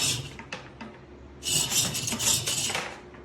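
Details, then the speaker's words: DIY lat pulldown machine's three-inch pulley with cable running: high, scratchy squeaks in bursts, even after molybdenum lubrication; the friction is between the wheel and its casing, not on the pin. "my son danny pointed out the actual uh friction is between the wheel and the um the casing so it's really not on the uh pin"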